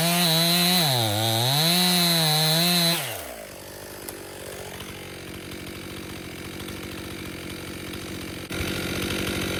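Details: Stihl MS261 M-Tronic chainsaw, hot: it revs, then sags and labours under load instead of accelerating quickly; a lean bog that runs better than before, and a carburetor service is suspected to be needed.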